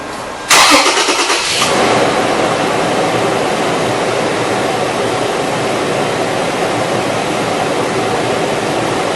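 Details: 2003 Toyota 4Runner 4.0 L right after drive belt replacement: starter cranks briefly, then the engine settles into a smooth, steady idle with no belt squeal or chirp; normal idle.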